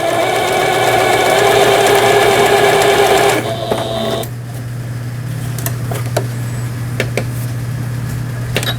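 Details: Japanese-market 110V Singer 7430 sewing machine, repaired after burned capacitors and fuse from running on 220V: quick, even needle clatter, then the motor winds down to a quiet hum; reverse button and zigzag stitching work normally.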